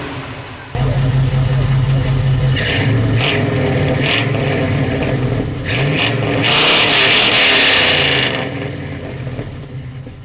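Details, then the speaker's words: 1997 Chevy OBS truck, computer tuned to a standalone system (still thinks it's automatic): deep V8 burble climbs sharply on each blip and drops back fast, responsive throttle, no knocks; healthy free-revving engine. "i mean it obviously runs yeah pretty responsive throttle on this way i got a glass tuned right"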